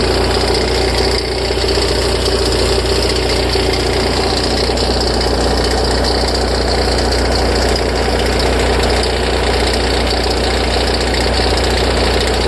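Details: Ferrari F355: tens of seconds after a cold start, a loose, uneven rattling tick comes from the front of the engine over the idle, then fades as the idle stabilizes. It is louder and longer after long periods unused; cause unknown.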